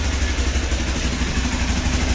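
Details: Hero Xpulse 200 4V motorcycle cold-started after sitting about one month, silencer cold; fast steady thrum with light clatter at raised speed, expected to settle toward 1000 rpm; normal cold high idle.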